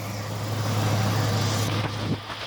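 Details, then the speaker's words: 1989 Ford Ranger engine, sat almost a year, first start, idling down: smooth even low hum, no tapping or ticking, clean and quieter; normal idle. "Oh, it's idling down some more. The clean sound, you know, it's loud enough. Yeah. The engine's quieter."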